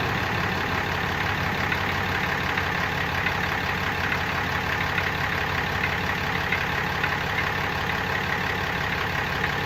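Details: Brand-new 2018 Ram 6.7 Cummins diesel at idle: light, uneven rattle about twice a second riding over the diesel clatter; odd engine rattle at idle, source not identified.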